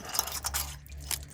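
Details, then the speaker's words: Rebuilt water pump turned slowly by hand: repeated gritty scrapes at the same spots each revolution; the new impeller is contacting the brass wear ring. "oh she was hitting on the inside I thought about it yep so it's contacting the uh the brass wearing new and we put in"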